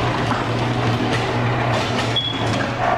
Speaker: I push the buggy we hear the motor going but the door only opens slightly hear the motor is still turning